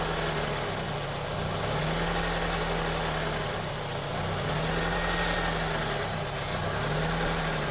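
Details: 2002 Honda CR-V 2.4L with rough idle, stalling and up-and-down rpm, after IACV cleaning: idle hunts every couple of seconds, pitch rising and sagging; problem persists, IACV or throttle body suspected, replacement IACV awaited. Rough idle.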